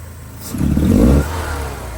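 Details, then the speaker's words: 1984 Porsche 944 that idles perfectly but won't rev above 2,500-3,000 rpm; smoke test shows zero leaks, new fuel lines: quick throttle stab gives a brief flat rise in revs that breaks up and falls back; misfire under acceleration. "Start it up. Runs and idles perfect. Give it gas. Starts breaking up. Ease the gas real gently."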